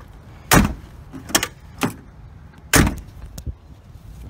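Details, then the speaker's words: Power door lock actuators on a Ford Explorer cycling after the fix, with sharp, solid, complete clunks and no buzzing or hesitation; the lock that wouldn't pop up now works properly. "it working perfectly"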